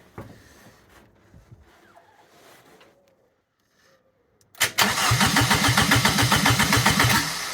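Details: Ford Puma 1.7 engine fitted as rear engine in a twin-engine Fiesta, first start attempt with modified wiring loom: starter spins it with an even chug of about four compressions a second but it never catches; fuel pump wiring found disconnected, so no fuel.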